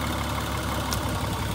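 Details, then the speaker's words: 2003 Honda Odyssey 3.5L V6 at idle with one ignition coil pack deliberately unplugged: steady low idle with an uneven, lumpy pulse as one cylinder goes dead. The engine shakes and misfires, showing that coil was working. "once you squeeze the tab and you pull it out you'll hear the motor shape worse you'll see the motor it'll start shaking worse and it'll sound worse"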